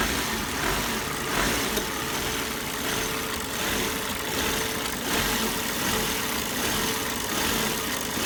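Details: 2004 Volvo S60R: occasional rough idle at low rpm, idle swelling and dipping unevenly about once a second; also stalls occasionally when downshifting to a stop, codes P2177 and P2178 and a smoking dipstick; cause undiagnosed.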